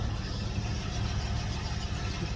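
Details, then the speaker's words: 1992 Ford Mustang GT Foxbody (306) after roadside repair (timing not yet set): starts and settles into a steady low, even idle with no misses, knocks or ticks; runs smoothly. "I'm quite confident I think it's going to start better rip how about that isn't that awesome"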